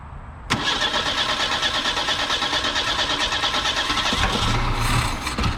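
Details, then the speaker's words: Abandoned 1973 Ford Pinto Squire wagon, first start after years sitting, under a quarter tank of fuel probably old. Cranks and catches within a second, then idle wavers unevenly in loudness and rhythm, dislikes throttle; running rough, cause unconfirmed. "engine's not running perfectly but it is running"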